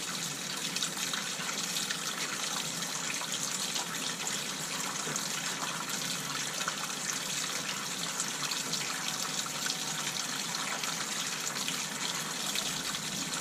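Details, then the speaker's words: Water turned back on, hot and cold, through new temporary PEX construction lines in a fixer-upper, with SharkBite fittings joining the PEX to the old pipe; steady even rush, no banging or spitting air, normal flow. "Alright, the water's on, hot and cold."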